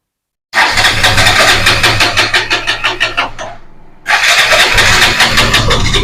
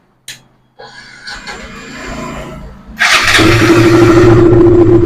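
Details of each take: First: KTM 200 with intermittent hard starting and misfiring at full throttle: the starter cranks about three seconds, then the engine fires and runs; the cause is a faulty ignition coil connection, before replacing the coil. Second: KTM 200 with intermittent starting trouble and misfire, now fitted with a test ignition coil: after clicks and handling, the single catches in about three seconds and settles to a steady, even idle with no misfire; normal start.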